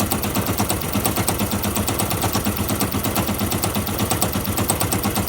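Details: Fuel-injected Yamaha YBR 125 with a machine-gun-like knock of about two per second that comes and goes, plus bad random vibration at all road speeds; piston and barrel replaced and clutch basket checked, noise remains, cause unknown.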